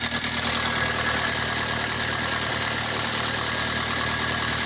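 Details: Toyota Avensis T25 2004 1.8 petrol (also on LPG), steady idle with faint busy rattle, same cold or hot, louder under hard load or acceleration; mechanics variously suspect timing chain tensioner, release bearing (clutch 5000 km old), belt tensioner or water pump; unidentified.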